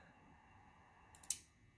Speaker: so now you can see it's transmitting and you heard that relay click let me turn it off again all right that confirms that uh the transmit relay is clicking off and on